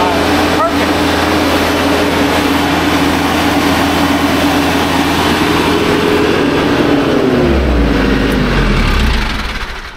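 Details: TYM T574 tractor diesel after new fan belt fitted and A/C accessory belt reinstalled with about half-inch play. Even idle with smooth steady hum, no chirp or squeal before shutdown; belts running quietly.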